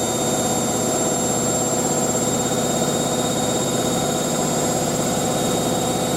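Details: Hotpoint 9530 Electronic 1000 Plus washer spinning a large towel load after a boilwash: even, steady whir with no thumping or knocking throughout; drum turning smoothly at speed, sounds healthy.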